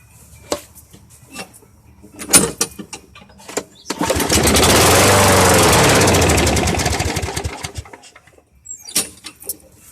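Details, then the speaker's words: Old Southland push mower with a Briggs & Stratton 3.5 hp engine on 90-octane gas: catches and roars about four seconds, then dies; won't keep running, owner suspects a clogged air filter or dirty carburetor. "I'm gonna see if this carburetor works. That's not good. but it's not continually running, that's for sure."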